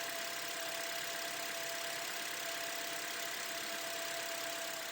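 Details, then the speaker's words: 2020–2022 Toyota Voxy, 2.0 3ZR engine, over 100,000 km, after new alternator and auxiliary belt fixed a noise from the alternator pulley; microphone near the engine picks up a smooth, even idle with a steady light hum and no ticks, knocks or squeals: healthy. "e agora vou mostrar para vocês ela sem aquele barulho ó vou pegar um microfone aqui ó o barulho do motor normal"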